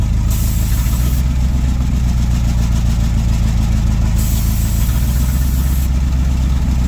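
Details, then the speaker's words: 1977 Ford F600 farm truck V8 with hydrovac brakes, sat about 5 years: idle is low and lumpy and lifts each time carb cleaner is sprayed on the cracked vacuum line from the brake vacuum reservoir to the intake, showing a vacuum leak. "we'll see all them cracks that's where I spray them a carb cleaner and it would rev up every time I did that"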